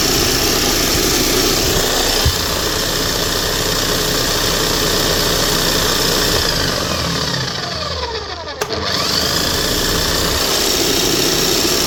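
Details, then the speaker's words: Bosch hammer drill running after a bearing change and new brushes: a steady high motor whine with a rough, crackly splutter through it. Sparking at the armature is heard rather than seen; it otherwise runs smooth. Armature arcing. "Now, you can't tell by looking at it, but that's sparking. You can tell just with the sound. You can hear a we spluttering sound coming from it."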